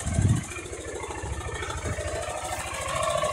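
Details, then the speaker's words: Motorcycle 660 engine at steady idle: rapid hollow rattling knock in time with the engine, like a rattlesnake. Early-stage piston slap (piston skirt knocking). "Eu quero que vocês diga para mim que barulho é esse, o que que tá batendo nesse 660. Já vai colocando aí nos comentários. É tipo um barulho de cascavel, tá?"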